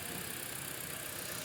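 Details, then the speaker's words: 2016 Toyota Altis Grande after the faulty relay behind its no-start was replaced with a good one: the engine starts and holds an even, steady idle with a smooth rapid pulse and no knocks, misses or rattles. "अब इंशाल्लाह गाड़ी start हो गई। हाँ, गाड़ी start हो गई,"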